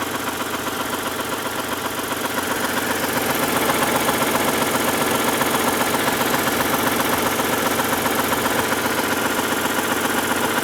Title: Rd 8 knocking noise